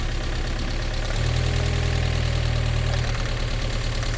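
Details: Restored Mazda MX-5 on a cold, frosty morning, plug leads pulled one by one to find a misfire: a lumpy, uneven idle that changes as each lead comes off; cylinder 3 made the least difference and its plug was fouled.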